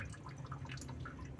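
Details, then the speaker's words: Honda Civic Wonder brought in for a coolant leak pouring like a waterfall from the water pump, with a rough engine noise also reported: irregular bright drips and splashes over a low engine hum; coolant leak from water pump. "Hai Oke Bro ni kedatangan Hai Honda Civic Wonder dengan keluhan kebocoran air dibagian sini ya"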